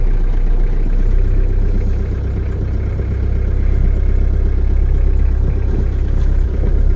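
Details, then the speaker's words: Diesel truck just started cold with the manual throttle pulled up for cold starting: a low, quick, steady diesel rumble at fast idle with slight swells, before the idle is turned down. The owner expects some belt squeal. "turn the idle down this is manual throttle control pull it up for cold starting push it in then when it's warmed up a little bit"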